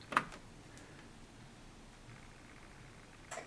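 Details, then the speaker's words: Whirlpool Duet washer, normal cycle started: two sharp relay clicks as the door lock tries but fails to engage, followed by F-dL door lock error; cause not yet found. "don't know if you can hear it or not but there's a relay that's clicking it sounds like the door lock is trying to engage but it's not happening"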